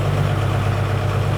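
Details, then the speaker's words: 2002 Thomas Freightliner FS65 school bus, 5.9L Cummins diesel, 155,000 miles, cold, high-idle switch engaged at about 900 RPM: steady, deep, even rumble without knock; engine healthy, though it smokes. "This thing, it's got a high idle right there. You saw that, flip that switch, engages it. Close to 1,000 RPM, so I think it's 900."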